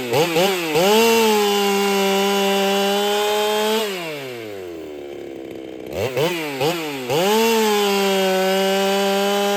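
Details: Ported Holtzfforma 395 chainsaw, very quiet: high scream bogs and recovers in the cut with faint muffler hiss; owner suspects muffler isn't flowing enough.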